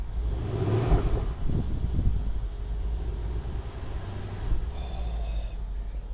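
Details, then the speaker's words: Mercedes CLS63 AMG Brabus Rocket 800 V8 at a Copart lot, just started, microphone held out toward the exhaust: deep steady idle burble, no knocks or misses, over outdoor noise; healthy normal idle. "Oh, she's alive. And she sounds good."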